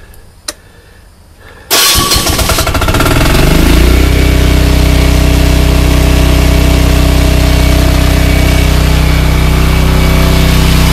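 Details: ETQ Chinese-made portable diesel generator, just refilled after suction-gun oil change, key start: quiet, then catches at once and settles into a loud, steady, even diesel beat with no knock or rattle; healthy running.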